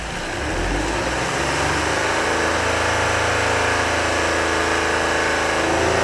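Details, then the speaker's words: 2005 Honda Odyssey, drive-by-wire engine revved from inside; flat strained note that won't climb, smoke increasing, VSA light on, power down; owner suspects clogged catalytic converter restricting exhaust, possibly throttle body. "now the smoke seems to be increasing uh now the vsa lights on in the dash and power is down and that can have something to do with the throttle body it may be the engine may be trying to to do something but based on the smoke and everything here i wonder if it's just as simple as a clogged u"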